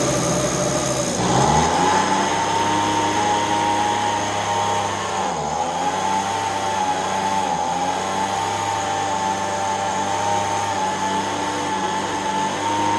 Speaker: so now that we know that it's running and it's not doing the fluctuation behavior like it was before,